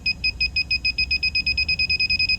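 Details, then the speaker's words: R-290 cooler, leak detector probing the hot gas condensate drain pan heater on the back of the box: fast, steady, urgent high-pitched beeping, about seven a second. Refrigerant is detected at the condensate heater, in addition to the evaporator leak. "It's going crazy in there. Definitely going crazy. So we got something going on at that condensate heater too that we need to address."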